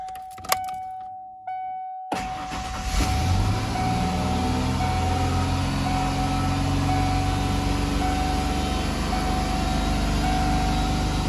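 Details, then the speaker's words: 1994 Ford Ranger started in neutral, no gas pedal applied: after a warning chime the engine settles into a fast steady high idle of about 3,000–3,500 rpm that won't come down, caused by a faulty idle air control valve. "As you can see, I'm not touching the gas pedal whatsoever. It doesn't really come down if you do it. It stays about 3,000, 3,500."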